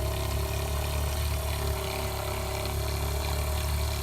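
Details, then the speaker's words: 1995 Damon Intruder RV fresh water pump with a third of a tank: constant low drone at a steady pitch, running slow and never building pressure or cycling off; no leaks found, possible inlet air leak. "just running kind of real slow like it's trying to get some pressure built up but it just runs and runs and runs"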